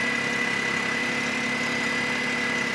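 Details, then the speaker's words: Smart car convertible bought as a non-runner at an insurance auto auction, fluids checked fine, idling after a few minutes of running: steady, even idle with faint constant high whine, no knocks or misses; purrs, normal idle. "I'm gonna let it run do I try the convertible top I don't know it's been running for a few minutes it purrs"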